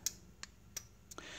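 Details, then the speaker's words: Gate1 gate-opener receiver during programming with P1: crisp, dry relay clicks about three a second after the remote button is pressed, confirming the remote is registered. "you will hit the button on the remote control you want to program one one time and by the second time you hear the clicking noise that means it register the remote uh on the receiver as you can hear"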